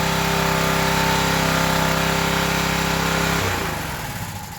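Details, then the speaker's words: Old Craftsman pressure washer small engine after carb-cleaner spray runs steadily at a quick even beat on choke, then sags and dies when choke is taken off; runs only on choke. "well it's running with choke on and when I take the choke off it's dying it does run so that's a plus for me"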